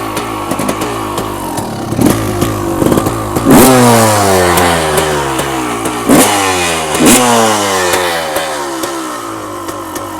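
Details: 1990 Honda CR250R two-stroke after a new plug and some carburetor work: blips up and falls back, about two or three per second, choking off instead of coming on the power band; owner suspects HPP power valve not opening or carburetor.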